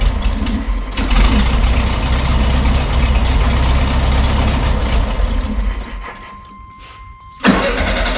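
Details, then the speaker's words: 1972 VW Super Beetle, stored about 20 years, first start attempt with fuel line hooked up: even cranking about four beats a second but never fires; not getting fuel, carburetor not working, gummed carburetor later cleaned. "all right it's not getting fuel some reason sounds cute doesn't it"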